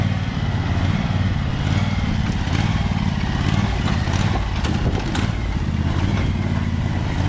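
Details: Husqvarna 2346XLS hydrostatic lawn tractor, after its rusted, binding brake and gas pedals were freed and lubricated: steady deep engine rumble holding even speed with the PTO engaged and blades under load, no slipping or grinding; normal running.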